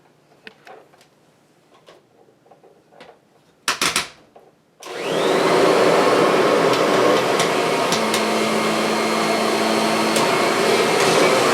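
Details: Kirby vacuum cobbled together from several broken machines, cleaned inside: a few clicks, then the motor spins up to a steady, even high whir with no grinding or wobble, and it runs well with no issues.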